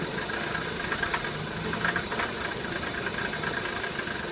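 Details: 2003 VW Passat 1.8T at idle: a faint uneven stumble with irregular pulses instead of an even beat, a rough idle.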